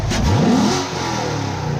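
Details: C7 Corvette V8 with new manifold and AFE intake, headers, X-pipe, stock exhaust: quick blip climbs cleanly and drops back to a smooth steady idle, no stumble or clatter; normal rev.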